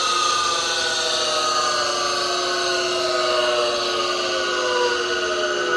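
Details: 1965 DeWalt radial arm saw motor, model T-GA, 5 hp three-phase, frame 573, before bearing rebuild: steady whine with rough, slightly uneven hum and long falling coast-down; worn bearings suspected, not confirmed.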